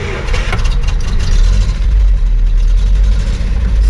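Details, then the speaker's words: Land Rover Series 3 Lightweight, possibly cold, idling: low lumpy shaky idle with irregular stumbles through exhaust; misfire, owner wonders about timing though distributor unmoved, cap and rotor clean; pulling lead four changes nothing, cause not found. "starts as you can hear I'm not very happy bit shaky but you know not terrible"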